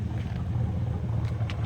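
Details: 1967 Corvette with freshly rebuilt 502 big-block V8, first drive out of the garage; formerly burned oil and had an internal noise: deep, steady rumble stays even pulling away, no knock or tick. Normal running.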